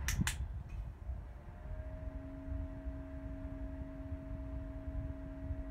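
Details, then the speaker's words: Opolar battery/USB-powered desk fan, new from unboxing: on the low setting a steady two-note whine/drone sits above a soft airy hiss. The drone is not heard on the highest setting; the motor whines at low speed. "okay so in the highest setting you do not really hear the drone but in the lower setting now"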